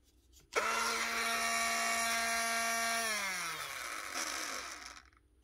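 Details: Clipster animal clipper motor in for repair, after checking the head and gear: starts cleanly, holds a smooth, steady whine and winds down evenly with no rattle or roughness; healthy motor.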